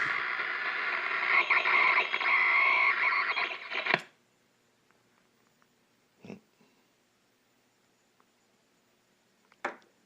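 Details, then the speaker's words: RCA 621TS television, 1 kHz test tone: harsh hiss with warbling high squeal, then sound cuts off dead leaving faint clicks; microphonic audio stage, unconfirmed. "It's completely gone. Nada."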